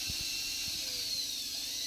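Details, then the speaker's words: Preethi Zodiac MG 218 mixer grinder, serviced for a failed, very noisy bearing; coil checked OK with test lamp. After repair, steady high even motor whine with no rattle or grinding; runs freely, normal. "அதுக்கு அடுத்தது வந்து பார்த்தீங்கன்னா சவுண்டும் இல்லாம ஃப்ரீயா பர்ஃபெக்ட்டா ஓடுதுங்க"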